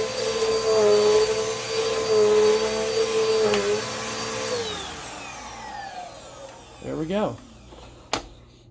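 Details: Dirt Devil Quick-Lite Cyclonic (UD20020) vacuum after service, brushroll checked fine: steady motor hum and rushing air, then a smooth wind-down when switched off, no rattle or scraping; runs healthy.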